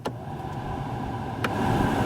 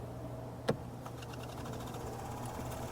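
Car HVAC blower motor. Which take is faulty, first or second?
second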